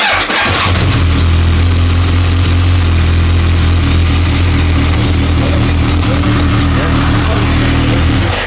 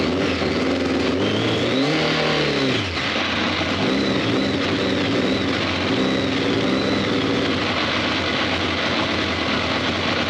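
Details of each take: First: BMW K1200 R, sat for 2 years, hot at just over 100 degrees with the fan on, after the throttle cable check: quick catch on the starter, then an even, steady idle until shut off. Slight clutch rattle noted. Normal hot start. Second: BMW K1200 R, faults cleared, fuel pressure low at 2.3 bar: uneven, lumpy revving, stumbling as it picks up though all exhaust pipes hot; rough running misfire, fixed by pressing reset on diagnostic machine.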